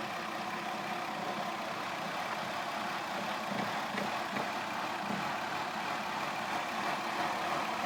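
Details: 2002 Mazda Tribute, cold engine: uneven, hissy idle with shaking and a faint irregular rattle, no steady rhythm; stalls unless throttle holds high rpm despite cleaned throttle body and new oxygen sensors and plugs; rough cold idle, cause unclear.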